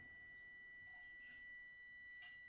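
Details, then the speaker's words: Heating element driven by solar-panel DC through a solid-state relay thermostat: steady high-pitched whistle near two kilohertz from the element itself, barely audible near the controller. "Отут воно свистить. Отут в тенові."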